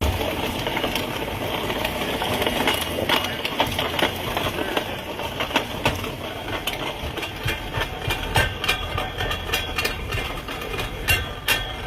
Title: Customer states I here a grinding noise check and advise